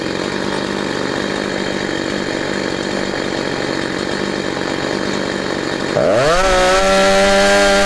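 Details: Husqvarna 345 chainsaw after reassembly: screams at steady high revs, then on throttle release the pitch sags and hangs before settling; rpm hang on deceleration, suspected of getting extra fuel; diaphragm replacement and carburetor adjustment suggested.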